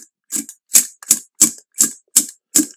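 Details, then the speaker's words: Rapco dry aircraft vacuum pump, turned by hand, heard at the outlet. Evenly spaced airy puffs, about three per second; this is the normal, expected sound. "bit difference down there and that's what it's supposed to sound like and this is the vacuum pump"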